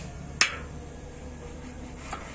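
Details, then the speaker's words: Gas water heater (membrane/high-pressure type) not lighting: one sharp solenoid click then a faint second, with no igniter spark ticking; the igniter control module has failed. "kalau seperti ini ini namanya modul rusak l itu Pak kan bisa menggerakkan selenoid salah satu dari ketiga fungsi modul itu tidak berfungsi ya Model itu rusak gitu"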